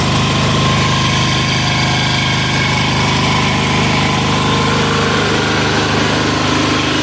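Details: Amazon 186FA single-cylinder diesel test-running on about one cup of Road Tech synthetic blend 10W-30 motor oil as fuel, with some diesel possibly left in the line, throttle about half: even clatter at a steady idle, every stroke firing with no stumbles; normal idle.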